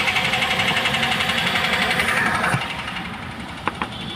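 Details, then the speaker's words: Maruti Suzuki Ertiga petrol, after replacing the worn left front shock absorber bearing: engine idling while steering is turned, no creak or clunk from the front suspension any more. "अब कोई आवाज नहीं है ना shocker में है क्योंकि bearing हम डाल चुके हैं सोकर का"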